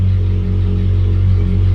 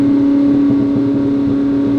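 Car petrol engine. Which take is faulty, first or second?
second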